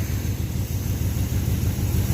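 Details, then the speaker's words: 1980 Chevy K10, battery reconnected, cranking on a newly fitted starter: deep, even low rumble turning the engine over briskly and steadily; starter cranking at healthy speed. "But right now we're going to hook the battery back up and see if she spins over a little better. Alright, so hit the key with the new starter."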